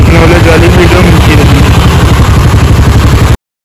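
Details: TVS Ntorq BS6 scooter after clutch-side repair with bearing replaced and clutch cover refitted: steady low idle pulsing about four per second, no clutch-side tapping; runs smooth and healthy.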